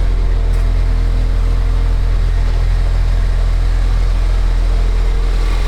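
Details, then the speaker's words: 2015 Ford Escape at idle after the intermediate pipe, resonator and muffler were replaced. A deep, steady, even low rumble with no rattles, puffs or leaks: a normal, quiet exhaust. "before we take this off we should see what it sounds like I'm sure it's quiet"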